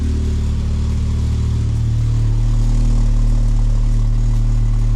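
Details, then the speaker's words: Mk2 VW Jetta after new exhaust fitted, idling: raspy low puffing over a steady idle from exhaust escaping at the front pipe joint; much quieter than before, owner plans tighter clamps and more exhaust paste. "almost all of my sound is from there. So back up with the car, seal it better, but it's way better. Even the leak is better than the screaming madness from before, so I'm fine with it."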